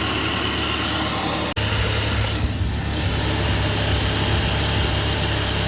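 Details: Saab 9-3 first generation with the B205E engine, just after a serpentine belt replacement: a steady, even idle hum with no squeal, chirp or rattle from the belt drive. Normal idle.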